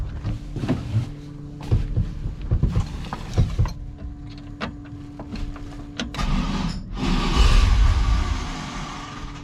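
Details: Stock junkyard 5.3 LS from a 2000 Silverado in a 1971 C10, first start, stock tune via HP Tuners, on booster pack with fuel pump humming: uneven starter churning, then louder surge as it tries to catch.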